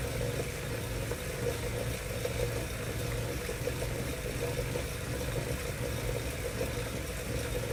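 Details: Wahoo Kickr trainer making a strange noise: a steady mid-pitched whirring hum with a slow, uneven low throb under it, cause unclear.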